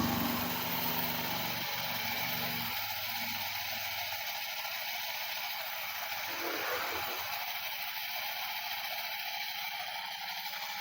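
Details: Honda Beat carburettor scooter, left side running rough and fuses blowing: engine runs with a rough irregular catching rasp, about four snags a second; starter drive gear (pinion) jammed and not returning, dragging.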